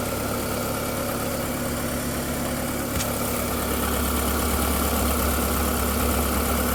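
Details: VW Golf 4 1.6L 16v 105 hp petrol at steady idle with a light repetitive clack, about three per second; startup whistle gone after 2–3 minutes, owner suspects timing side. Clacking noise at idle.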